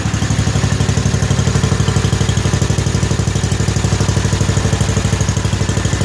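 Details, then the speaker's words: 1955 Cushman Truckster single-cylinder, aftermarket exhaust, cold on choke after fuel tank pressurized with air, cranked on 12-volt battery (probably originally 6-volt): steady low thud about three pulses a second, no knocks or misses. Normal cold idle on choke. "Sounds as good on camera as it does in real life, but what a smooth running, quiet little engine this thing really is."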